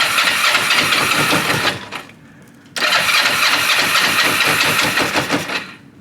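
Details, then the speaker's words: Used motorcycle with a tank thought to have been drained, first start on a little added fuel. It catches and runs about two seconds, dies, fires for three seconds, then fades; fuel starvation. Owner unsure whether it's knocking. "so it's trying to run I just can't tell if it's knocking"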